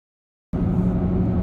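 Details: 2008 Saab 9-3 1.9 TiD 150, right-hand drive, at cruising speed: steady low hum from driver-side front wheel area, tracks wheel speed not engine speed; bearings, brakes, tyre swap ruled out; garage suspects driveshaft, extension or gearbox final drive.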